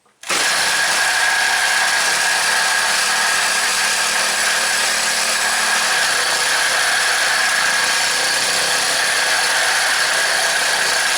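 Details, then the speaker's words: Craftsman four-cycle mini cultivator after long storage, just fitted with a second new aftermarket carburetor, running with a bit of two-stroke oil in the fuel. It holds a steady fast idle because the throttle is held up, with a faint squeak the owner suspects is in the clip. Runs well. "the throttle cables hanging up is actually holding it up off of idle a little bit got a little bit of a squeak i'm not sure what that is probably down in the clip i would say actually sounds like running pretty good idle's up good"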